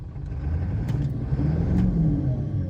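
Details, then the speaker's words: 1997 Ford F350 7.3L Power Stroke turbo diesel after misfire repair work: gentle rev with deep, fairly even rumble, barely shaking where it previously nearly shook apart; idle still dips below 500 rpm, old IDM may need replacing later. "So we'll give it a little rev and see what happens. Before, the truck was almost coming unglued at these rev ranges. Like, this is barely shaking."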